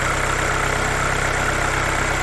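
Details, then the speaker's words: Audi A3 after timing belt replacement, first start once reassembled: steady, even idle with smooth low hum, no knocks, ticks or misses; normal idle. "So yeah, it's just ready to start it up now and see how she sounds. There we go, running lovely."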